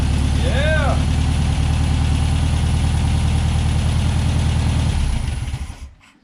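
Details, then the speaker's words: 1963 VW Beetle, 6-volt system, after installing a hard start relay and fixing wiring: even, steady low-pitched idle with no misses or stumbles until switched off; now starts reliably on the key. "okay so definitely a success with the hard start relay and we've got turn key reliability now"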